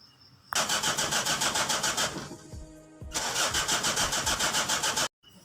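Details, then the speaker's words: Mitsubishi L300 diesel cold morning start: cranks in two long bursts, about three or four strokes a second, without firing after glow indicator; suspected air in the fuel pump or faulty glow plugs. "Ya, oke, di situ bisa kita lihat kita starter mobil tersebut susah hidupnya, dan di sini bisa diakibatkan bisa dari pompa solarnya yang masuk angin, dan bisa juga terjadi permasalahan dari pemanasnya."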